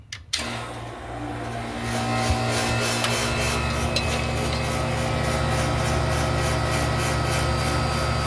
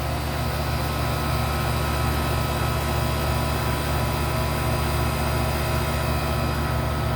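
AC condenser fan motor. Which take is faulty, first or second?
first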